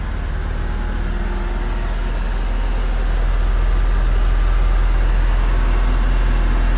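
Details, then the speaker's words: 1994 Honda Acty HA4 kei truck idling smoothly with a steady, even low rumble, no misses, after slight off-direction pressure on an ignition key cylinder that didn't spring back properly. This restored the blower motor and engine power. Normal idle. "just put a little bit of tension on the key in the off position and then you get your blower motor back and it idles just fine and you get your throttle"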